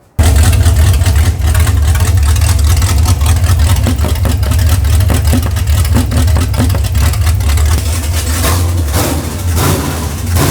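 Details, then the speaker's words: 454 V8 from a boat fitted into a 57 Chevy, open exhaust, spark plug wire swapped sides: runs rough and uneven when revved, not at idle; paper test at the exhaust confirms a miss from a leaking exhaust valve. "this that's a valve yep that paper test yep tells you every time when it sucks it up to the exhaust and at idle you don't hear it it's only like when you're revving on it"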